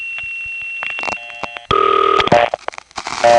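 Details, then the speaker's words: Grand Concourse panel call to MO9, the East 150th Street office, 1976-77: a thin steady squeal among clicks and dial tones just before the ring. Probably an unbalanced trunk on another call oscillating and leaking through the ring supply. "This is probably the sound of an unbalanced trunk on another phone call going into complete oscillation. We hear it because it's so loud it leaks through the ring supply."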